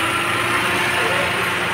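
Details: 2008 Toyota Avanza AC after Freon recharge, condenser setup and larger fan blade, engine idling: steady fan rush over smooth idle, no compressor rattle or knocking; pressure reading 175, 28–30 and dropping; running normally.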